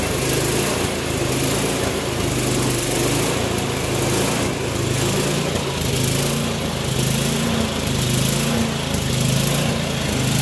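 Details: Troy-Bilt Storm 24-inch snowblower after clearing air vent obstruction, adjusting float tab and new spark plug: even, steady small-engine drone with no surging, misses or knocks; running smoothly.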